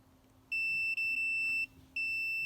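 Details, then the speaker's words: Multimeter on ohm/diode continuity setting testing a Kawasaki JS550 jet ski starter commutator: clean high-pitched beeps while probes touch, silent between contacts; good continuity. "So you set it on your ohm setting or diode test, and you can set where it will make a sound when you touch the leads. So we'll press this. Mine works like this. So every time I touch it, it's going to make a beep."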